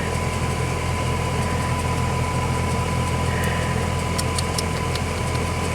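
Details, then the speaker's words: Bryant heat pump failing again in winter less than a month after a repair: steady low hum with a thin fixed whine, straining but never running normally while drawing over 40 amps; the compressor fails to start, a bad compressor is suspected. "Oh shit. Sounds like a bad compressor, doesn't it? We went over the limit, over 40 amps."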